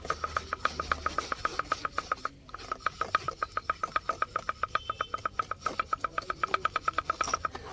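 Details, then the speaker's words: Hyundai Verna Fluidic electric power steering column removed from car, mic held close: sharp regular clicks about four a second from the worn reduction gear kit at the steering motor. "तो इस तरीके का sound इसमें आ रहा है तो इस reduction जो भी याने यह कॉलम का जो गियर है यानी मोटर के साथ जो लगता है"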